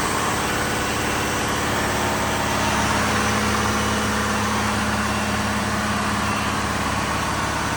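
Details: Diesel fire pump engine on test, isolation valve closed, with steady, even diesel clatter at constant speed and a smooth, unchanging drone; running normally.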